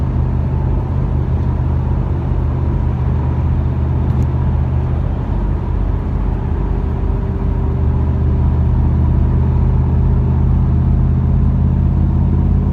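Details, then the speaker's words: 1997 Camaro V8 cruising at interstate speed about 60 miles after a new Opti-Spark and a fixed exhaust leak: deep, steady, even rumble with no ticks or leak puffing, upshifts heard only as a slight exhaust change; normal running. "without that exhaust leaked it just purrs I mean honestly the only way you can tell it upshifts is you just hear the exhaust to change a little bit"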